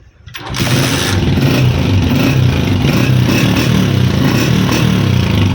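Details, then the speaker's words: Honda CG 125 2025 model, about 100 km, after fixing half-raised choke causing missing and carburettor air leak: fires at once and settles into a steady, even single-cylinder idle, takes full throttle; normal start-up and idle. "जो बाइक की मिसिंग का प्रॉब्लम हुआ था वो अब सॉल्व हो चुका है। मोटरसाइकिल फुल एक्सीलरेटर ले रहा है।"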